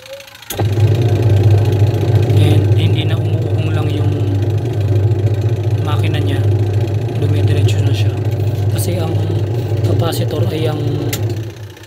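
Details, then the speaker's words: Washing machine after replacing the wash timer and motor capacitor: steady low hum with even churning, motor turning smoothly in both directions instead of only humming or spinning one way; normal running. "yan maganda na yung ikot niya tapos dalawang dalawang side na rin yung ikot"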